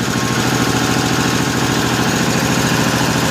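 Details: 1955 Cushman Truckster, owner thinks a piece of dirt caused the fuel trouble; even single-cylinder putt at a steady idle with regular firing pulses and no misses or stumbles, no smoke, homemade EMT-conduit exhaust: normal idle.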